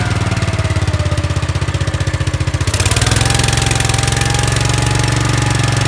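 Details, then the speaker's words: Gravely 5865 with 16 hp Kohler K341 single-cylinder, running after the starter solenoid fault was fixed: steady, loud thump picking up slightly in speed midway then settling evenly; runs perfect. "Yeah, so it's running perfect. Runs perfect. So all that because of a stupid solenoid an hour and a half later."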